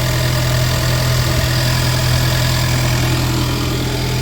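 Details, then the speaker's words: 2019 Ford Mustang 2.3L EcoBoost, first start after crankshaft pulley seal replacement and re-timing, still warming up: steady, even idle with smooth low rumble, faint air pump hum, no knocks or misses; normal idle. "Hear the air pump running. Everything's looking good over here."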